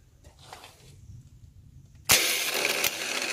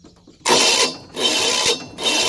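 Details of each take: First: Rebuilt starter motor, bench-tested outside the engine after repair: two even bursts of high whirring spin, each a few seconds, no grinding or stumbling; starter now functioning okay. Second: Failing starter motor: three harsh half-second bursts of coarse, rasping spin with no catch or crank; play in the worn starter bushing keeps it from starting the engine. Starter motor grinding from worn bushing.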